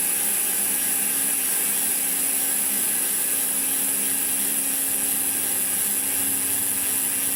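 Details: Koozer XM90 rear hub on an old Saracen Cross 1 bike, five days old after 200 km of hard trails and long rides, camera mic: fast, even, high-pitched clicking buzz as the wheel coasts; normal freewheel ratchet, no grinding.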